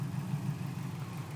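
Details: 2004 Subaru WRX with a new motor, rough idle since cold start and no code read; plugs about 2,000 mi and correctly gapped, IAC and MAF cleaned, no vacuum leaks found, ECU reset: the idle wobbles and surges, cause unknown.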